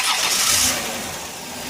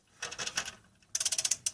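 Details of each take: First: 2001 Dodge Grand Caravan EX, about 329,000 miles, cold start after sitting two days, following crank/no-start and engine-noise repairs: brief crank, catches within a second and settles into a smooth, even idle with no knocks or ticks; normal. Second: 2001 Dodge Grand Caravan EX, 324K+ miles, crank-no-start with noise when cranking: engine turned by hand with a ratchet on the harmonic balancer bolt gives bursts of light rapid metallic clicking; owner believes the timing chain is faulty.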